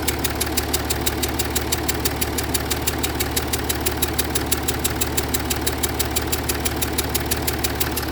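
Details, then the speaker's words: Jaguar XF S 3.0 diesel idling: sharp even chuff about three times a second, changing with revs, from combustion gas leaking around an injector seal, with exhaust fumes and smoke under the bonnet. "Sounds like it's coming from around the side of the injector."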